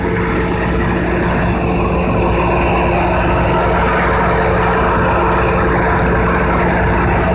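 Loud, steady deep drone with a constant hum and no knocks or surges; the big generator is carrying the load evenly.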